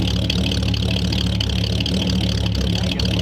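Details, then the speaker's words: 1938 Ford convertible V8 with new true dual stainless exhaust: deep uneven loping idle with stumbles, car shaking, fuel smell and black smoke, worsening the longer it idled; rough idle, possibly loading up rich, carburetor needs adjusting. "It was getting worse the longer it idled. Yeah, might be loading up a little bit too. Yep. It makes it sound like it's got a cam. It does. Car's shaking too."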